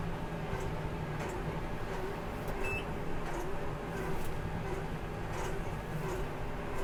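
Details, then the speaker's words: Massey Ferguson MF5711 Dyna 4 tractor running the baler, gear uncertain: steady deep engine drone with faint repeating baler clatter, sounds like it's working a little hard under load; cause not confirmed. "Sounds like it's working a little hard."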